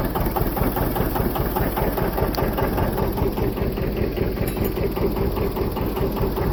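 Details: John Deere 730 two-cylinder diesel tractor with a rebuilt water pump, first run in 8 years after a belt start with the generator off: slow, even chuffing at about 150 beats a minute, holding a steady idle with no knock or miss.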